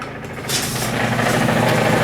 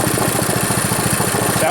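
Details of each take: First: Reassembled Powerfist small engine: buzzes fast and steady, like a plate tamper, with no drop to a slow idle; the idle is set very high and can be adjusted by a screw on the carburetor. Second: Powerfist small engine freshly rebuilt from complete teardown, run outside: even, steady thumping at roughly twelve beats a second with no misses or knocks; normal running.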